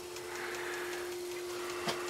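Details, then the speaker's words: Magnum Energy 2000 W pure sine wave inverter, not yet hooked up: a quiet hum with faint, evenly spaced ticks while its LED blinks as it searches for a load. Normal search mode. "now lights blinking on off the LED light because it's look search for power but I don't have it hooked up"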